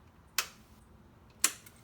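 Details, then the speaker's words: Yamaha Star 650 motorcycle, tank removed for fuel system testing: two sharp ticks about a second apart in a quiet room as the key is turned on, the normal fuel pump ticking at key-on. "are you getting that when you turn the key what happens when you hit the button do you hear the fuel pump"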